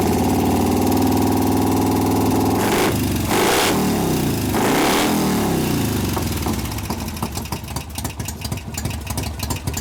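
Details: 1988 Harley FXR V-twin after cam change and pushrod adjustment, lifter noise repair attempt: fires up and revs with a sharp tick about four times a second; owner suspects a still-pumped-up or loose lifter, unconfirmed.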